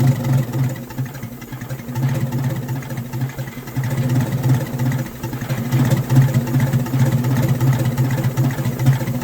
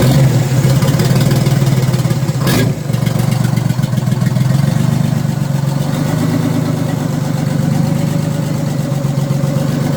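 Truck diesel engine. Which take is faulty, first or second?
first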